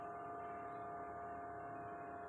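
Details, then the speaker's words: Ice-making plant running since 16:30 on 4 April 2023 and working over 18 hours a day: a steady, piercing high-frequency hum with two fixed pitches drones continuously. "แล้วดูสิเสียงคลื่นทำน้ำแข็งดูเครื่องมันหอนน่ะมันเป็นคลื่นเสียงคลื่นความถี่เสียงที่สูงมาก"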